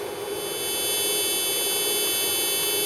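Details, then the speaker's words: Bootleg Pang arcade PCB under repair: shrill steady electronic buzz with stacked high tones, intermittent garbled output instead of game sound; suspected digital sound issue, not confirmed. "Yeah, it's intermittent, but mostly makes like buzzing noises, etc. Garbled."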